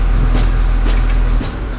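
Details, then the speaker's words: Machine diesel engine started after tracing the starting circuit and replacing a fuse: heavy low rumble easing after about a second and a half into a steadier run; engine starts and runs. "okay so finally we are succeeded to store the machines"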